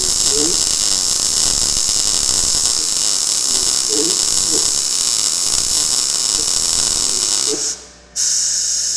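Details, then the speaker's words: Blue Demon 140MSI MIG welder on really thin steel, automatic voltage, gas turned down slightly, wire speed raised: steady crisp frying sizzle until trigger release, a healthy well-set arc, no holes blown. "here's here's what we're getting here I mean it's welding this really thin steel or really nice"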